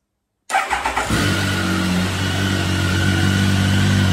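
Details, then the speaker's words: Triumph Tiger 1050 during revival with new electronics installed, before throttle body balancing, TPS unplugged and engine light on: quick cranking pulses, catches at once and settles to a steady, even idle without misses; strong, healthy start. "you can also hear when I run the bike that it's really powerful uh ignition really powerful startup and the refs are really good"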